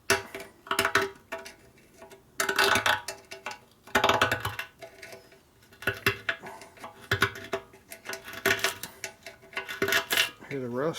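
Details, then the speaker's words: 1941 74ci Harley Knucklehead bobber being sorted to run: fuel tank shaken, irregular bursts of dry gritty rattling from loose rust and old sealer flakes inside; lots of rust, to be blown out. "the rust? Yep, I hear it. Rust removing tool. I'll blow it out. Yeah, there's definitely a lot of rust in there. Everything rattling in there."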